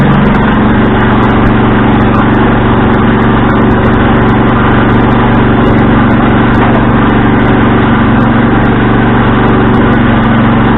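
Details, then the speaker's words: Husqvarna riding tractor engine after winter storage, running at idle: loud, raspy, blatty steady exhaust note from a broken exhaust on an otherwise smooth-running engine; exhaust leak. "so and yes the exhaust is broke i do not care to fix it the quiets up over time"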